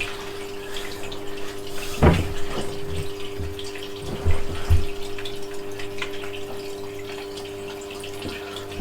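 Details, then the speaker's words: Red Sea Max Nano reef tank during setup: steady low pump hum with trickling and gurgling water and splashes; noise probably from water filling the rear return chamber and sump. "i can hear the chamber the back with the water in the chamber the back filling up and the sump that's probably what the noise is"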